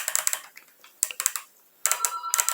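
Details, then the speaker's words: HHO hydrogen fuel injector nozzle that had stuck from overheating, pulsed on the bench after being freed: crisp, sharp clicks in quick bursts with each pulse, showing the solenoid is moving freely and the injector is no longer stuck. "tá ele não tá mais travado mas esse barulhinho tá fazendo movimento quando ele tá travado ele não faz esse barulhinho ele não solta ele fica travado"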